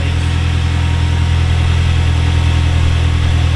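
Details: Toyota 3RZ petrol engine first start after new cylinder head, cold morning start: steady fast idle with deep even hum that never settles, no ticking or knocking.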